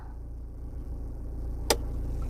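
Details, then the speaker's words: 2020 Toyota Hilux Conquest 4x4 automatic, stationary in neutral at idle with brake on, shifting H2 to H4: single sharp clunk over steady idle, indicator blinks until driven; normal transfer case engagement clunk. "so we're now H4 I hear a clunk sound and you notice it's blinking if it's blinking that means it's not engaged"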